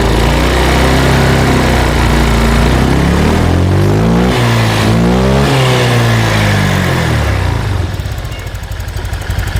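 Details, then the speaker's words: Honda Vario 125/150 scooter after fixing low-rpm hesitation traced to the injector: pulls cleanly from 1500 to 3000 rpm and settles back without stumbling or surging; normal running. "normal ya. Jadi udah enggak nyendat-nyendat lagi."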